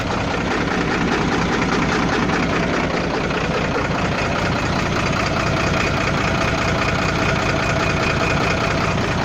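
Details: Volvo FL6 diesel with an unexplained floating engine knock: dull knock comes and goes at no steady rate at idle; cause not pinned down.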